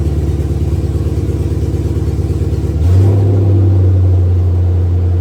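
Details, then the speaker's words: 1966 Chevy C10 with a newly installed stock LS1 V8 swapped in for an LT1, restarted once more; no charging or cooling system is fitted yet. An even low rumble steps up to a smooth, quiet idle. Normal idle, and the stock LS is noted as quiet. "yeah it's funny how quiet stock by threes are"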